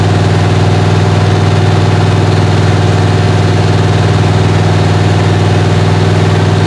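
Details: 1977 Chevrolet Malibu V8 on cam break-in after a cold start, with ongoing issues; deep, even rumble held at fast idle with a steady pulse, no knocks or misses, head temperature gauge climbing toward 150–180; normal high idle.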